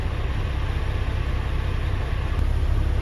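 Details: Iveco 90-16 expedition camper, first start after long storage with two new batteries and new main switch: deep, even diesel idle, no misses, knocks or hunting; runs healthy. Tank nearly empty, no brake pressure yet.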